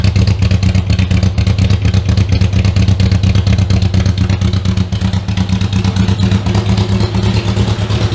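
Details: Riley Brooklands replica with newly built Austin Brooklands-style silencer: steady fast low thumping with rough crackly edge at fast idle, loud and barky; owner suspects silencer inlet pipe doesn't extend inside as the specs require; loud exhaust.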